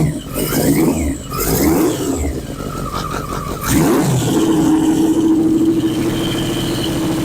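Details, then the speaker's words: 1981 Yamaha Maxim XJ650 four-cylinder, dead for 20 years, running on old oil. A few throttle blips, then a clean, even fast idle; idle not yet set. "I had to starve it out a little bit with some hands over it so it didn't get so much air in it but we have a running motor"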